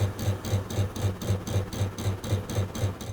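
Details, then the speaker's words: Comfee air conditioner outdoor unit at power-on while diagnosing a faulty outdoor unit: steady rapid clicking, about four a second, from the electronic expansion valve (PMV) stepping normally. "電源を入れた時に室外機からカタカタ音がしますがこれはPMVが動いているからです"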